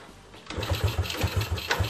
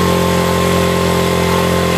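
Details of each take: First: Yamaha Vega RR/ZR motorcycle after carburetor cleaning: starter cranks steadily at about four to five turns a second without firing or catching; still hard starting. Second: Yamaha Vega RR/ZR single after combustion-chamber carbon cleaning with foam cleaner, started after hard cranking: revs up and settles into a steady, even putt-putt idle around two and a half beats a second, no misses; normal running.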